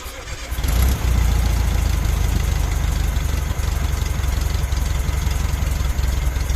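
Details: VW Beetle air-cooled engine after distributor timing set with timing light on the pulley mark: fires after short crank and runs at steady, even idle with no misses or knocks; normal, healthy running.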